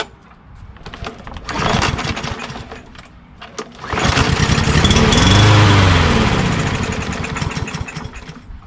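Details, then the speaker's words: Craftsman M110 (MTD) push mower, Briggs 550EX auto-choke engine, no-start; on starting fluid it catches, revs and runs rough and uneven; spark confirmed, fuel not getting through, carburetor suspected, not confirmed. "So there you go. You know it's getting spark. You know the engine runs. It's just it's not getting any gas."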